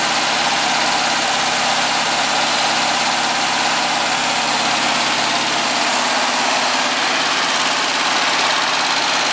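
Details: Air-cooled VW flat-four, slightly cold, after sealing an exhaust leak near the #2 exhaust port with silicone on old donut gaskets and adding a baffle: steady, even idle with smooth hum, no puffing or ticking; normal.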